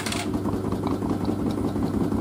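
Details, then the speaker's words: LG DirectDrive F1496AD washer dryer spinning fleece bedding on Baby Care 60°C cycle: heavy uneven rumble and thumping wobble from an unbalanced load; machine stops spin to protect itself. "oh that's really unbalanced wow i've never seen this machine do want that"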